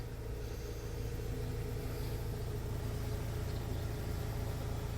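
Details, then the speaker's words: 2017 Ford Transit 2.0L EcoBlue diesel after crank-no-start repair (failed wet cambelt, debris in oil pickup, camshaft timing reset), fuel and oil pressure bled: steady even diesel idle, no knocks or misses; normal idle. "got the fuel pressure bled up oil pressure bled up and fire straight up"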